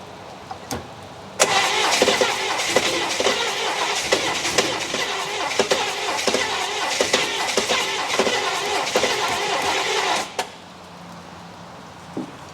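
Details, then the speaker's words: 1964 Buick Electra, sat 25+ years, engine freed from seizure days earlier, water pump not hooked up: cranks, catches and runs about nine seconds with even firing beat, no knocks, then shuts off; normal start. "Well, that sounded pretty good for something that was seized up a couple of days ago. Not going to be able to run it long."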